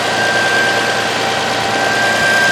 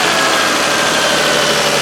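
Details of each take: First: Toyota Highlander idling, hood open: a steady high whine with a rough growl under it. A wooden block held against the alternator picked up the bearing noise, not elsewhere on the engine; worn alternator bearing, possibly caused by the belt used. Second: Toyota Highlander after replacing the alternator with a bad bearing and fitting a new belt: smooth, even idle with a steady hum and no squeal, chirp or belt slipping on startup; normal idle.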